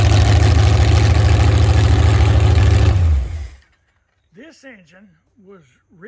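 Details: Freshly built V8 from a bare block on an engine run stand with mechanical fuel pump, first start-up: deep, even idle with a steady beat and no misses, then clean shutdown; sounds healthy.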